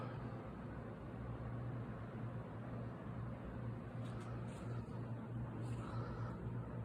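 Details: 20-inch 3-speed box fan with Hunter motor, running on low: quiet steady low hum, no rattle or wobble; healthy motor.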